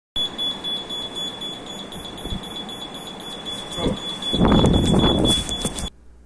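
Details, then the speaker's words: Zamil Classic air conditioner indoor unit: steady high-pitched alarm tone over room noise, an error sound that means a part or some problem has developed in the AC. "তো আপনার ভিডিওর প্রথমেই যে সাউন্ডটি আপনারা শুনতে পেলেন, তো মূলত এটি একটি সাউন্ড ইরর। যদি আপনার এসির থেকে কোনো পার্টস বা কোনো একটি প্রবলেম হয়ে থাকে তো এই সাউন্ড ইররটি আসে।"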